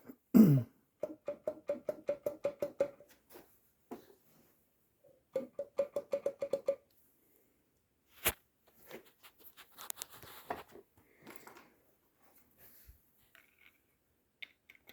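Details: 1954 Gale-made Brooklure 12hp outboard (scrapyard find) turned over by hand: quick runs of hollow clacks about five per second; owner suspects a loose, slapping rod in the bottom cylinder.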